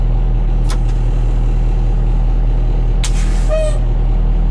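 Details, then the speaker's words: 1986 dump truck, 34 years old with 118,000 miles, at first start-up with good air pressure: an even diesel idle with a couple of short, sharp air-brake valve hisses; the brakes work and the air system sounds normal. "brake seems to work at a charge on the alternator oil pressure assuming that works"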